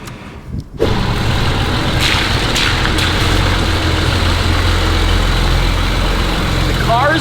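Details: BMW 335i bought as having rod knock, which turned out not to be rod knock: steady, even idle with a smooth low hum and no knocking or ticking; the engine sounds healthy.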